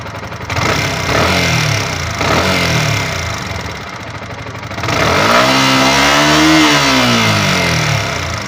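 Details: Yamaha R15 V3 single-cylinder: light, quick ticking rides over the engine as it revs up and settles, pointing to excess valve clearance; valve tappet noise.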